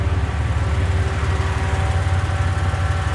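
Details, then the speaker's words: Car recovering from an engine lockup, not yet at full operating temperature, no check engine light: fast, uneven, shaking idle pulse. Owner suspects one cylinder is down, possibly from a coolant void. Rough idle. "the thing is jumping all over the place and it's not supposed to do that so yeah hopefully we're down one cylinder we don't have a check engine light though"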